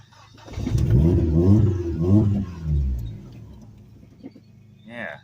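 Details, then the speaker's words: Dodge SRT4 parked since 2018, fuel pump primed: engine catches and revs briefly, then sags and dies within a couple of seconds, firing only sometimes. Owner suspects moisture or varnish in the fuel; no fuel leak found. "I mean it'll she'll fire not every time but she'll fire she'll she'll run for just a second and then die out"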